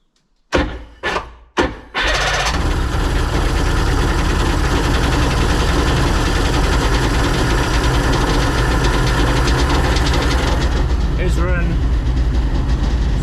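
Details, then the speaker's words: Sea-Doo Sportster 1800 jet boat, twin Rotax 717 two-stroke engines, stored in a barn 18+ months, good compression, started with carb cleaner, run briefly about 2,000 rpm without cooling water: three cranking bursts, then a steady, even two-stroke drone. "I don't want to run it too long with the uh with no water flowing but that engine is running it appeared to be running r or more than just the brake cleaner there"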